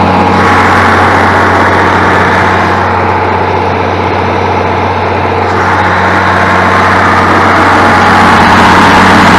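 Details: International 1586 tractor diesel, sat two to three years, started in neutral after installing batteries: loud even idle with steady low beat that doesn't wander; fired up quickly and runs healthy.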